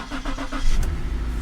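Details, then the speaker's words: Clean, rust-free 2011 salvage-auction car, first start on a jump: brief quick cranking, then catches cleanly and settles into a steady low idle. Healthy start. "Like a charm, man. Like a dream."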